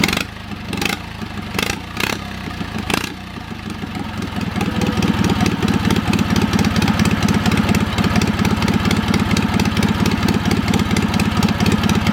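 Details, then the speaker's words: Old Wisconsin THD twin-cylinder engine started after freeing a stuck exhaust valve with oil on the stem; a few coughs, then a steady quick putter on both cylinders, slightly choppy, carburettor top half unusable; running properly. "Despite the stuck valve, I will say it ran pretty good. It's a little bit choppy,"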